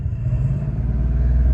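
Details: 1989 Mercedes 560SEL, power loss above 1800 rpm from suspected variable vacuum leak, warm-up phase: deep, even engine rumble swelling gently as revs rise, no misfire or stumble at low rpm; revving cleanly, cause not confirmed.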